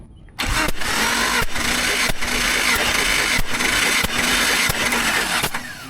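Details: Jeep engine cranking on the starter during a compression test of cylinder 4, which reads 155 psi: even cranking with a regular whoosh about every two-thirds of a second, steady and strong; healthy compression.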